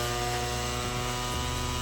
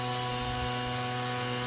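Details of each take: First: Petrol spray pump engine that started then quickly died, after carburetor reassembly, throttle cable refitted, fuel on: even steady drone at one pitch, no stumbles or surging; runs smoothly, carburetor no longer overflows. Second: Petrol spray pump engine with new plug cap, rope-started with fuel on: runs rough with a steady buzzing drone and heavy smoke, starts only intermittently and dies; carburetor overflowing.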